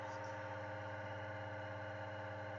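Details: Steady, even hum from a three-phase motor on a bench grinder after the capacitor was replaced with a calculated 25 µF one. Before, it hummed loudly, vibrated and overheated. No surging or rough buzz now: normal quiet motor run.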